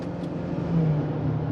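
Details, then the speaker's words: 2002 Toyota RAV4 4x4, 1AZ-FE, automatic, after the repaired ECM was reinstalled: pulling uphill at about 5,000 rpm, the engine pitch steps down once in a smooth shift with no clunk or flare, heading to 60 mph. Smooth automatic shift under acceleration. "Ooh, that was nice. Nice smooth there."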